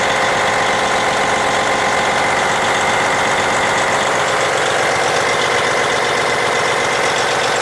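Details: Twin-turbo diesel after water pump replacement, running: loud, even idle with steady clatter, no belt squeal and no knocking, no water or oil leaks seen; normal diesel idle.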